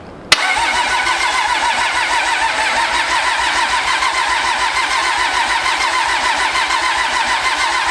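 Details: Pro street diesel truck first start after Motec M141 install: starter cranks with even compression pulses for several seconds but never fires; rail pressure spiked then held, no fuel supply pressure noted.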